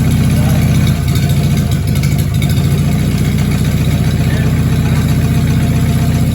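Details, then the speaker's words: Overhauled Willys flathead, built from used parts, with a new valve and freshly set valves, runs with a steady low beat and small throttle blips and no knock. The oil pan gasket is missing and the shot fuel pump is dumping gas into the oil pan. "all right well it is running again there is no knock"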